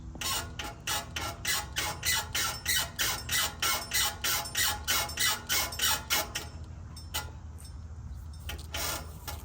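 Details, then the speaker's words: 2021 Toyota 4Runner TRD Off-Road Premium with King shocks, about 50,000 miles: sharp high squeaks about three a second as the body is rocked, worse on the driver's side and worsening for months; owner thinks shocks bone dry, dry control arm bushing. "It was progressively getting worse the last few months, and I think they're pretty much bone dry now."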